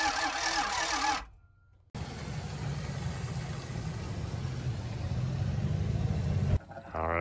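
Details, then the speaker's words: Diesel motorhome RV, abandoned, with new batteries, jumper cables and new fuel filters: steady cranking for seconds that never catches; crank no-start, owners suspect fuel not reaching the engine, air in the system. "nothing i got nothing okay so i'm getting nothing"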